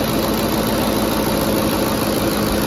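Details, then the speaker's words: 2010 Ford F-150 5.4L 3-valve V8 after VCT solenoid replacement; steady even idle, no misses, knocks or shaking, usual tick only, no leaks. "Sounds pretty good. I mean, aside from that ticking, but they all do that. Every car. No leaks so far."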